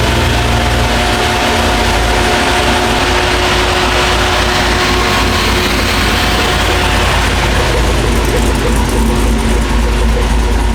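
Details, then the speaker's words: Toyota FJ40 freshly revived and being broken in; deep steady idle with even firing, no knocks, ticks or misses; runs great. "We got the FJ40 fired up. This thing sounds so good. It runs great."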